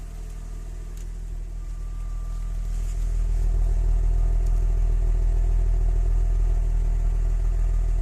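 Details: Audi 100 C4 2.6 engine at steady idle with a regular knock, about four per second, over a low rumble; owner asks what is knocking, source not pinned down.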